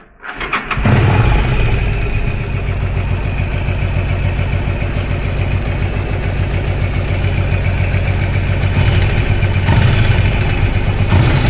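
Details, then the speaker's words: Yamaha XVS 1100 Drag Star V-twin: a faint knock from the right side, about three to four per second, over a lumpy idle. The cause is still unknown before teardown. "вот идет идет небольшой стук вот отсюда сейчас заведу послушаете"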